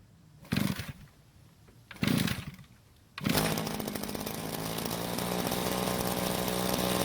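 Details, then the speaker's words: Rare vintage string trimmer whose head won't spin, started on fuel left in the tank: two cord pulls, then the small two-stroke holds a steady, even buzz with no misfires; engine healthy, suspected stuck clutch, broken drive shaft, bad gearbox or shaft coupling. "As you can hear, the engine sounds very good, but as you can see, the head isn't spinning, so the possible problems are a stuck clutch that isn't engaging the clutch bell, a broken or damaged drive shaft, or even a bad gearbox."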